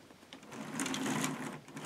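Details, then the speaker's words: K'nex robot motor-driven chain after its rail was replaced with a higher one so the chain lines up better: light, quick, even clatter running steadily without catches; much smoother than before, normal running. "a lot smoother than it was before"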